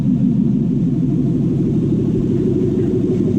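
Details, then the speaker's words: Lexus 1UZ V8 after a cooling-system refill, engine warming with thermostat opening: steady, even low rumble with no gurgle or hiss; the earlier air noise is gone, normal running. "Past air noise is gone. Just gives it a moment just to catch up."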